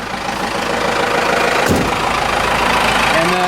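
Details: Cummins 4BT turbo diesel, idling a few minutes after fuel filter change and air filter wash to check for leaks: steady, even, unbroken clatter, no knocks or misses; good oil pressure, normal idle.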